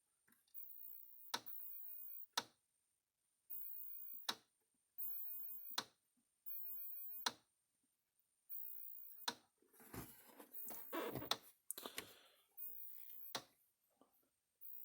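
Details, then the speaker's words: Old O'Briens 16/110 electric fence energizer under repair, plugged in after sitting: sharp, dry pulse clicks about every 1.5 seconds over faint hiss; indicator lights flash out of sync with the clicks. Fault not yet identified. "I can hear it clicking. Mhm. Can't really see it here, but the lights flash, but they're like out of sync with the unit. Like it lights flash and then it clicks."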